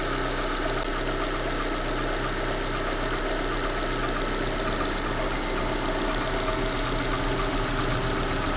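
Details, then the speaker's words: 2010 Corsa Classic 1.0 VHC, customer complaint of engine noise: a steady idle with a dry, rough, intermittent scraping from the front belt area. Traced to the timing belt tensioner and water pump bearing. "aí vai poder achar o motor 1.0 vhc estava pegar parece uma coisa raspando na outra"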